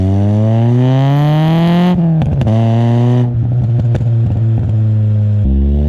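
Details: 1999 Nissan Pulsar SSS N15, stock SR20DE with pod filter and aftermarket extractors, GoPro mounted at the rear exhaust while driving: revs climb with sharp pops and crackles on the overrun; exhaust leak from a slight crack in the extractors.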